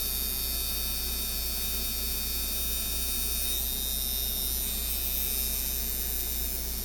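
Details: Ebay Micky Sharpz hybrid clone tattoo coil machine after tear-down and spring tuning, around 130 Hz, 52% duty, about 7–8 volts: steady even buzz with fast uniform hum, no rattle or stutter; running cleanly.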